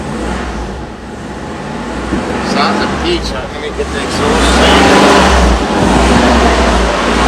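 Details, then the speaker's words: 1984 V8 being revved, either the Rolls-Royce Spirit 6.7L or the Mercedes 500SL 5L, after asking whether the other cylinders came back online: a deep rumble swells smoothly and holds even, no knocks, sounds okay. Normal V8 revving. "actually it doesn't sound too bad yeah that sounds it sounds okay"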